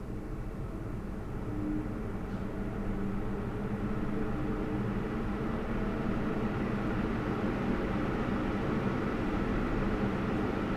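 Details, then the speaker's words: Lian Li 217 INF PC case, CPU radiator fans at 100%: steady, even rush of air through the radiator with no high-pitched whine or rattle; normal fan airflow. "So, as we can see, the sound is normal. I can call it a normal fan sound. You know, you you actually hear the wind going through the radiator and so on. There is no high-pitched sound or something like that."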